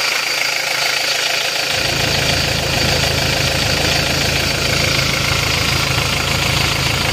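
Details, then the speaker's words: Isuzu D-Max diesel after repair of vibration (injector nozzles fitted), idle with AC compressor engaged, set slightly raised (below about 900 rpm, midway so it is not too high without AC); steady, smooth, no shaking; normal. "jadi ini adalah RPM kondisi AC kalau kita tinggikan dikit ini tidak goyang tapi tanpa ac-nya nanti ketinggian jadi ini kita ambil tengah-tengahnya saja"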